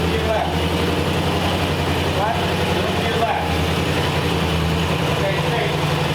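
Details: 1940 Ford Tudor V8 after carb repair and exhaust leak patch, cold outside, tiny pinhole leak remains, carb may need adjusting for back pressure: steady, even low rumble at slightly raised choke idle, no ticking or puffing — normal cold fast idle.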